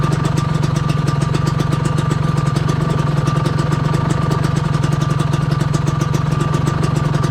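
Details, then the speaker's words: Suzuki RGV120 two-stroke idling with a fast rattle of about four beats a second that quiets when the clutch lever is pulled; clutch plates and linings due for replacement, owner hopes the clutch cable is just under-tensioned. "Ternyata dia di bagian koplingnya dia agak berisik juga sedikit guys, nggak adem. Tuh kita tarik, suaranya lebih adem. Kalau kita lepas, dia agak berisik."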